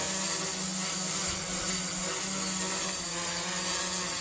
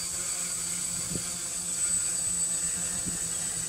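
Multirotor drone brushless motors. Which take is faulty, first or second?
first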